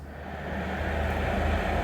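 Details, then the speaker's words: Original 1962 Jaguar E-Type 3.8, original wiring after 45 years of dry storage: blower fan motor hums evenly, spinning up smoothly and holding steady with no rubbing or ticking; fan motor runs healthy. "fan motor works and lights awesome"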